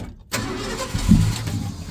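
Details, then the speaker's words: 1971 Ford F-100 after years sitting, running on fuel poured into the carburettor bowls: cranks briefly, fires right over and settles into a steady low rumble; runs well, though the fuel system likely needs a tank and sending unit. "Fired right over. Sounds pretty good. And she lives, so she's gonna need the fuel system sorted, but all in all, she seems to be alive."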